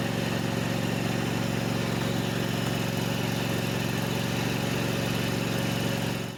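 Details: Kubota with a Kawasaki FD590/FD620 V-twin running after a valve cover seal replacement for an oil leak; leftover oil may smoke at first. Steady, even beat with no misses or knocks, then shutdown.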